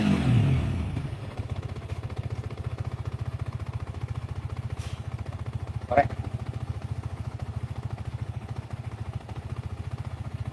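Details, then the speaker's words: Engine after work on the faulty cam chain tensioner (crank balancer first suspected, then ruled out): steady, even idle thump of about 3.5 beats per second; the earlier harsh rattle and click are gone. Road test still pending. "ini sudah suaranya nggak mengerikan yang tadi ya"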